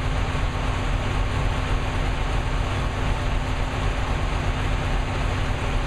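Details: New engine with Lunati 60140 solid cam, running hot at constant speed after valve lash was reset from about .010 to .014 intake and exhaust: loud, steady deep rumble, no distinct tapping or clatter over it; valvetrain sounds healthy.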